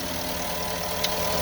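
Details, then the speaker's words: 2009 Porsche Cayenne S V8 warmed up during a coil pack and spark plug tune-up: smooth, steady idle with an even hum and no top-end ticking; the lifter tick went away, a normal warm idle. "And the lifter tick went away again. Well, that's good."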